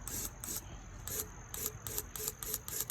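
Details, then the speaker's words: Hemi 6.1 fuel injector off the engine, unrun for 10 years, bench-tested at about 40 psi fuel pressure via a hand switch; nine short, sharp hissing spray bursts, injector spraying normally. "you can see that one's squirting and this one you can hear clicking"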